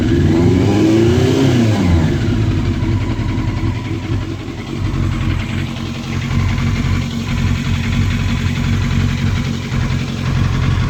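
A quick rev falls back to an uneven, stumbling idle with an irregular beat, the mark of a cylinder misfiring.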